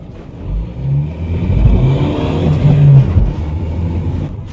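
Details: £150 Ford Mondeo diesel, about 406,000 miles, driven while still warming up: deep, even drone swelling smoothly under light acceleration with no knocks or misfires; healthy engine.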